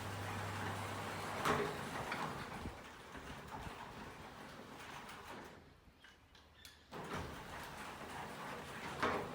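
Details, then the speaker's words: Garage panel door after lubricating the bearings with silicon spray, run by the motor until the carriage collects it: soft, even rumble with a few light clunks at the ends, no squeal or scraping; running freely. "now we will just run the door until the carriage collects the door there we go"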